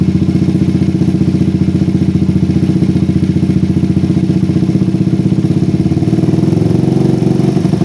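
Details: PE24 carburetor with the stock needle jet, J6ZB needle, size 35 pilot jet and the air screw almost fully out. A loud single-cylinder idle hunts, sagging and recovering; low rpm runs too rich, blamed on an oversized, too-short needle jet.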